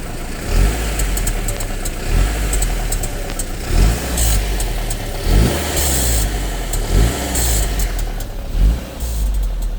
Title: Audi A4 B7 G.H - Rattle noise from turbo waste gate when reving engine